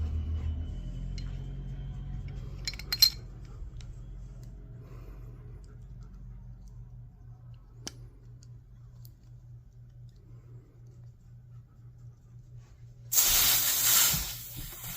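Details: CO2 pistol stored over a year with a full canister that had leaked down: a new canister is pierced in a quiet room, giving a sharp hiss of about a second and a half, then it settles. The seal held and it pressurized without leaking.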